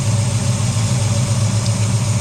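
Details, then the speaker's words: V8 with a failed cheap Summit Racing distributor, timing checked at about 20–25, slightly retarded: smooth, even low burble at idle, no misses or ticks. Normal idle. "I was going to say, yeah, that sounds really good, but yes, it's 25. Or 20, I should say."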